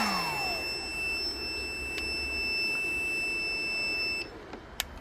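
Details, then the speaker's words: DIY hand-truck build test, grounded inverter (believed 750/1500 W settings) overloaded on 1500 setting: steady high-pitched warning beep over low hum for about four seconds, stops when switched and load drops to about 713 W; inverter recovered well. "So, that was good because I had it on the 1500 and then I switched it while it was beeping and it recovered pretty well."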